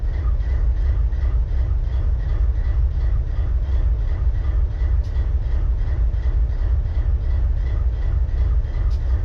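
Deep, steady diesel idle with an uneven beat where a cylinder drops out now and then, a misfire at idle.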